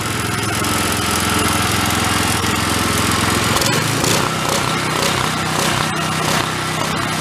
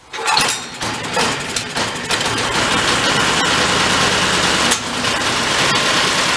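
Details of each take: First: Old Homelite unit (generator or pressure washer) stored about 20 years with Marvel Mystery Oil in tank and carburetor, choke on, throttle mid; loud, busy but wavering beat, rough running from incorrect air-fuel mixture, about half a turn adjustment. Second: Old Homelite pressure washer engine stored about 20 years, carburetor cleaned, no fuel filter, choke on, throttle mid. A few rough pulls, then it catches and settles into a steady, even buzz with no stumbling; runs healthily, air-fuel mix may be adjusted later.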